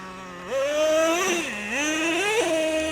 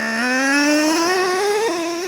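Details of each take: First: Traxxas Revo 3.3 nitro monster truck, sat 10 years, driven slowly: engine screams up then revs drop abruptly into second well before peak, twice; two-speed transmission shifting too early. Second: Traxxas Revo 3.3 nitro truck, warm and restarted after stalling while running rich: the engine screams upward, then drops in pitch in one clean step as second gear engages. The two-speed transmission now shifts properly.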